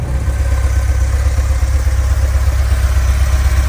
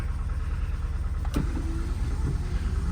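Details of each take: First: VW Vanagon stock 2.1L boxer engine, warmed up, which runs rough, knocks and shakes when cold and cuts power: steady, even low rumble with no stumbles or misses, idling smoothly when warm. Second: Stock 2.1L VW Vanagon on a cold start: for the first few minutes it knocks, bangs and idles roughly, low and uneven, close to stalling. It seems to run okay once warmed up; cause unknown.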